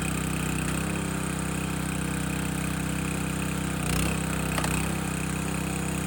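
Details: Landworks 20-ton log splitter engine splitting a dry 24–25 inch log; steady mid-pitched drone holds even through the split with only brief dips as the ram loads; split easily, healthy normal running under load.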